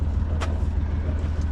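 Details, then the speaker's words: Sailboat inboard diesel restarted after rough running and near-failure, which the owner traced to his fuel tap having been left off; after reopening the tap it took many cranks because the fuel system ran dry, then settled to a steady, even low thrum. Normal idle. "Because I opened the tap, started the engine after quite a few cranks cuz it was dry. And now, it's running beautifully."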